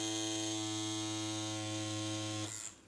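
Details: Direct-drive rotary tattoo machine (Primus) running; steady, even electric hum with a clean buzzing tone, no stutter or dropouts, then switching off; running properly.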